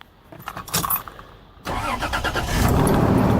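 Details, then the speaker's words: Old diesel van left sitting, cold, battery at 12.3 V, started with a lithium jump pack in engine start mode: brief key rattle then brisk, even cranking about three pulses a second, much faster than before; normal fast cranking. "a lot faster now let's see if it's recharging off the alternator"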